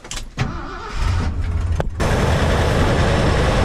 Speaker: She sure runs good though.